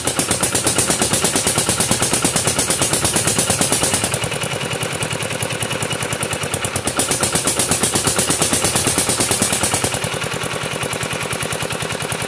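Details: Kubota RD65DIS single-cylinder diesel, modified with RD85 pusher and non-standard piston, test-run after cylinder head refit and timing set, no exhaust fitted: loud, crisp, even pops about three a second with load dips and recoveries; firing cleanly, healthy.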